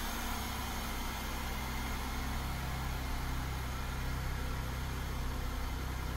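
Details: 2003 Chevrolet Monte Carlo SS Jeff Gordon Edition, 3.8 L V6, automatic, one owner, 4,694 miles: smooth, steady low idle with an even rumble and no knocks, ticks or misses; normal healthy idle.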